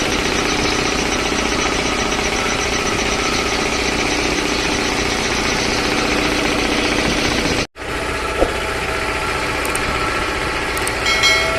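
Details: 3 HP LG-model air compressor after service (belt, filter, oil indicator and oil changed): steady fast pumping chug at about three to four beats a second, even and unbroken; compressor running normally.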